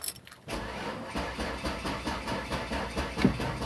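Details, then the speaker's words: 2002 Mercury Cougar: sluggish, laboured cranking with slow even pulses about three per second that never catches; dead battery, before using a jump pack. "it's cranking so slow. It battery's dead. I freaking knew it."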